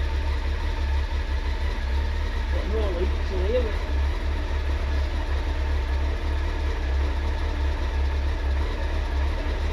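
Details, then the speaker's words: Honda CBR900RR Fireblade, about 25 years old, carbs done 18 months ago, cold idle: steady low throb with a loose, uneven rattle riding on it, identified as clutch noise at idle. "Not so noisy. You That noise is your clutch."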